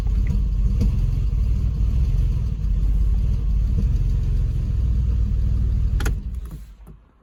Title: Boxster hardly running, rough idle 3 cylinders? #porsche #saveorscrap